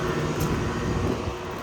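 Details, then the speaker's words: Air-cooled Trane CGAM chiller, circuit one, compressors running at about 93°F ambient, suction around 110, head 384–385, 12 superheat, 17 subcool: steady, even low compressor roar with no knocks or surging; normal running. "12 superheat 17 sub cool looks like the metering device is doing its job and it's running like a tank for circuit one"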